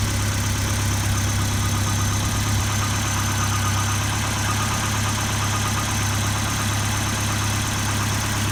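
Low, steady idle with a slightly uneven, shaky pulse underneath; the engine isn't settling smoothly, a rough idle.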